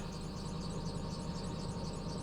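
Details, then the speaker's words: Lexus LS430 V8 after ignition coil work idling smoothly with steady even rumble, no misfire and no check engine light, fuel nearly empty; a separate squeak remains. "But the engine itself is running really, really well, so that's huge."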